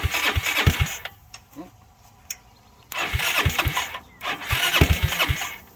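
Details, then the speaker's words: 2006 Zhejiang Kangdi 250cc kart single-cylinder with big-bore cylinder, first run after rebuild, exhaust just fitted: fires up and runs cleanly with quick throttle blips; normal start and idle. "oh yeah she's a runner"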